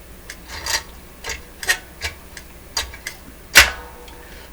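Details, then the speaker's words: Telefunken record changer in good operating order before basic maintenance: irregular light ticks and clicks as the feeler drops with no record, pushes a lever and swings an arm into shut-off mode, one sharper snap, no grinding; normal cycle. "comes down that there's still a record it will stop here still clearance but with no record it will go down push this lever down and it's swinging an arm up here doing something allowing the mechanism to uh to advance as if a record's there otherwise it goes into shut off mode"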